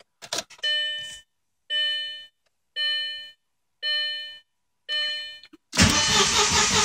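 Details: 2000 Audi B5 S4 after timing belt and valve cover gasket replacement, no codes: door chime, then a fast, light, even crank that never starts; later found no compression on the passenger bank from a bent valve, head replaced.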